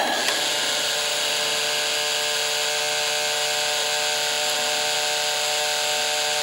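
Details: Apple IIgs 3.5" disk drive, eject button pressed: small motor just spins at a steady high pitch with no eject clunk; pointing to a stripped gear on the eject motor.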